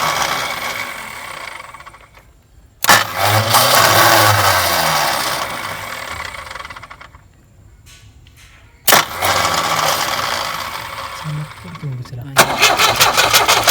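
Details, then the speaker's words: Tata Sumo direct-injection diesel cold start after long Corona-period standing: repeated cranking, starter churning steadily without catching while injector lines are cracked to bleed air, diesel reaching one line. Crank no start with air in injector lines. "ഒന്നിൽ diesel വരുന്നുണ്ട്, രണ്ട് ഊരിയില്ലേ? 2 ഊരിയാണ്, 2ക്ക് വരില്ലേ?"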